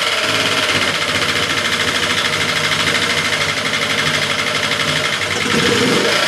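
Engine idling with a fairly even beat but a faint uneven stumble now and then; possible misfire, cause unclear.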